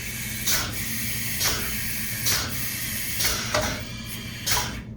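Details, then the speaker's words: Python XL DA25 pneumatic plunger chemical injection pump priming itself after a dry run as the hose fills solid blue. Regular hissing air blasts about once a second, roughly 64 per minute; normal pumping cycle resumes. "You can start to hear the change in sound, and you notice it's solid blue in the hose. And now it's going to start resuming its normal cycle."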